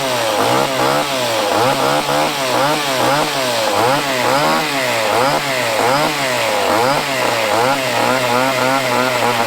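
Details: Chainsaw with fresh fuel and primed fuel line: bright, high buzzing rasp rises and falls about once a second as the throttle is blipped, picking up cleanly; runs well.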